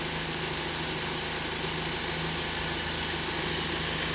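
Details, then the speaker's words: Volvo 2.0 petrol turbo mild-hybrid (B3/B4) after wastegate flap repair, cover on: steady idle with busy, fairly loud injector ticking but no turbo rattle; zero play at the wastegate rod. "Still not the quietest petrol engine, but it sounds way different, way better than before the job."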